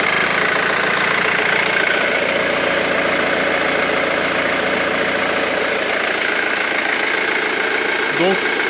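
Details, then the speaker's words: Ford Mondeo 2.0 TDCi diesel after replacing five failed hydraulic lifters (four exhaust side, one intake): an even idle with no ticking or tapping. The lifters were confirmed as the cause of the earlier noise. "bruit donc c'était bien des poussoirs hydraulique qui était mort cinq côtés quatre côté échappement et un côté admission"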